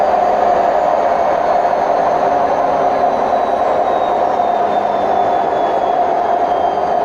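Loud, steady roaring rumble with a constant mid-pitched drone through the whole spin, no knocking; that's the drum bearings worn out.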